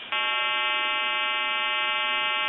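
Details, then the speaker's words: Stromberg Carlson wood wall crank telephone repair, calling a time-and-temperature line on another telephone: recording starts, then a loud steady buzzing hum about two and a half seconds; fault in the provider's equipment, not the telephone. "so you'll hear the recording start, and then you'll hear a loud hum, and then the recording will start again. That's on their end. They're having problems with their equipment."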